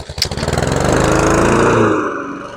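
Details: Husqvarna HU700F mower, first run in 7 years after swapping in a new GVC 160 carburetor: small single catches and runs at an even buzzing beat, easing under cutting load; an earlier slight surge owner suspects was lack of fuel, otherwise runs well.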